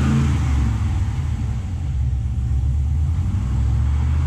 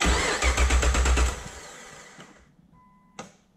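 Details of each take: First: Nissan Patrol with swapped 6-litre Chevrolet L98 V8, new engine-bay loom, after plugging in the throttle pedal; fires and settles into a steady deep even run with light throttle blips, running properly now. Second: Nissan Patrol with swapped 6-litre Chevrolet L98 V8 on new engine-bay loom, start attempt; starter cranks in even beats about 160 a minute and winds down without firing because the throttle pedal was unplugged.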